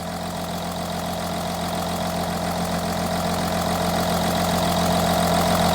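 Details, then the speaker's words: Audi Q7 3.0L diesel at idle with P0272 cylinder 4 misfire and P0087 low rail pressure: steady chuffing pulse, about three to four a second, from compression leaking past cylinder 4's injector, likely its copper washer. "there's a compression liak on this four cylinder it looks like the uh the injector copper washer on this cylinder is leaking"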